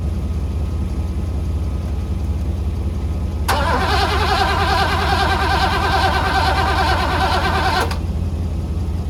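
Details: 1985 Mercedes W126 SEC, restoration Part 1, left unworked about 2 years: starter spins the engine at an even rapid chug for about four seconds, never catching, even with relay ports 7 and 8 bypassed; owner guesses fuel pump, unconfirmed.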